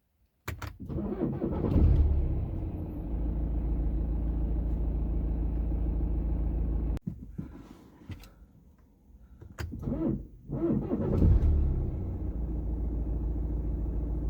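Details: BMW F30 with a crank-no-start/slow-start issue: engine turns over slowly and labours on the starter, catches briefly, then needs a second crank; slow-cranking hard start.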